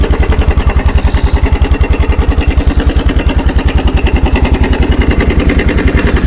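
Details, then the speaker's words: Kawasaki 300 4x4 ATV single-cylinder with new NGK spark plug, in neutral with no choke and running with no air filter fitted: quick, evenly spaced thumps hold a steady beat with no misses or surging; normal idle. "So, we're running without a air filter right now. That's okay."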